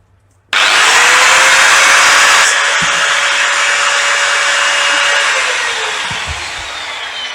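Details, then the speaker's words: Old Bosch GWS 6-100 4-inch angle grinder after its housing bearing was replaced: spins up to a steady, even high whine with no grinding, then coasts down smoothly; runs perfectly. The sticking switch is to be changed next. Normal running. "अब से हमारा यह बिल्कुल perfect चल रहा है no problem"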